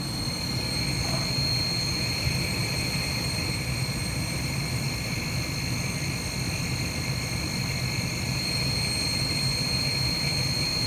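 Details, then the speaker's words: Carrier gas furnace just starting up: a steady high-pitched whir with a fast flutter, attributed to the induction motor. Loud whirring noise; cause not confirmed. "It's just starting up now. That's the induction motor making that noise."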